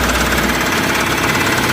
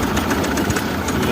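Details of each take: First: Mahindra Supro diesel that had code P0341 (camshaft sensor signal error, misfire), started after its wiring was checked and the camshaft position sensor replaced; steady, even clatter with no stumble or missed beats. Normal idle. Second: Mahindra Supro, over 100,000 km, code P0341-00 camshaft sensor signal error with wiring checked: rough, uneven idle with irregular knocks and stumbles; misfire from a camshaft position sensor signal fault.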